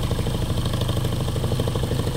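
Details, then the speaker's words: Window motor rotor freewheel test after a string pull start, outside bearing already somewhat worn from earlier high-speed runs: fast, rough rattling hum with rapid pulsing beat from the visibly unbalanced shaft; rotor imbalance vibration with worn bearing. "although you can hear the vibration the imbalance you can actually see it really bad in the shaft"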